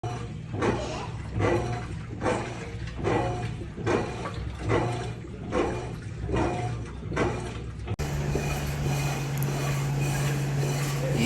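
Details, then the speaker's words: Electrolux washing machine making noise in the motor when washing or spinning: rough rushing surges about once a second as the drum turns, then a steady droning roar; the drum bearings are blown and are being replaced with new ones. "esses rolamento aqui estão estourado dessa máquina de lavar Eletrolux a gente vai estar substituindo aqui pelos rolamento novo tá"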